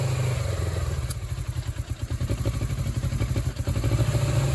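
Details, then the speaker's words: Suzuki GS500 twin after the engine flooded, with fuel found leaking out. It idles unevenly with a ragged, stumbling beat and misses, then slows down; owner suspects it is purging the flooded fuel. Not confirmed. "Yeah, it uh definitely slowed down. So, I'm thinking that it's purging all the all the uh flooded fuel"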